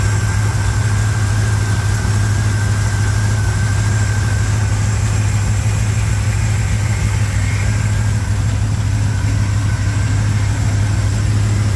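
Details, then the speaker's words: 1987 Chevrolet K10 4x4 truck, first start after blown head gasket replacement, warming up: deep, even V8 idle with steady low rumble and no misses or knocks; normal healthy idle. "Here he's got it running, so it started up without too much trouble. We're gonna let it warm up, make sure everything's good for a few minutes, and then we will take it out for a little test thing."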